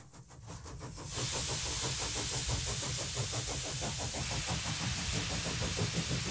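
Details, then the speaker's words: Model Stuart steam beam engine with its valve timing corrected, high-speed test run after repairs: steam hiss builds, then even rapid chuffs about three per second with no knocks; normal running. "this is a clip of a test run at high speed just to make sure that nothing breaks after I've done quite a bit of work on it"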